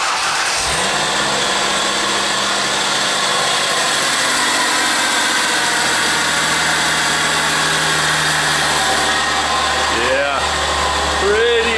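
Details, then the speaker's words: Ford Escape with a junkyard A/C compressor: engine starts and idles under a loud, rough whirring grind from the worn compressor bearing, before compressor replacement. "And all of that noise is just from, this is the Junkyard compressor, but all that noise is just from this bearing here being worn out."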